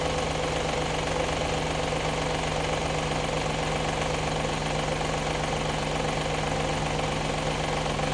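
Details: Audi A8 D2 with the ABZ 4.2 engine at idle, drive belt removed for diagnosis: a fast, steady metallic rattle-knock at the front of the engine. The whole front timing cover was loose with a bolt missing from earlier work; refitted with thread sealant.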